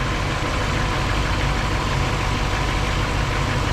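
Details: 1959 Chevrolet Bel Air during battery and charging test after revving to 2500-3000 rpm: steady even idle with low rumble, no knocks or misses; charging system normal at 14.83 V loaded, 41 mV ripple; normal idle.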